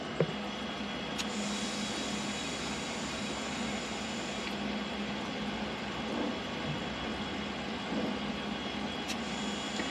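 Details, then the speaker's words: Danfoss BD35F fridge compressor on a 14-year-old boat, re-gassed with auto-store parts: as gas goes in the steady even hum changes slightly, showing the compressor is working; pipes feel colder. Normal compressor running; original gas loss suspected from a slow leak. "as I'm putting that in I can actually hear the compressor making a slightly different noise so that to me is a good sound that the compressor is actually doing something"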